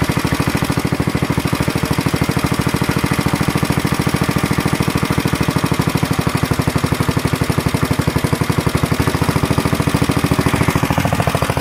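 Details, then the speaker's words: Planet Jr. Model B walk-behind tractor with air cleaner and elbow refitted, started to drive it up the hill: steady, even single-cylinder popping with no misses or knocks. Idles, throttles up, governor works; normal running. "I got the engine to stay running and everything and that's all squared away I got the air cleaner back on there with the elbow and everything runs really nice now idles throttles up and everything good Governor Works nice"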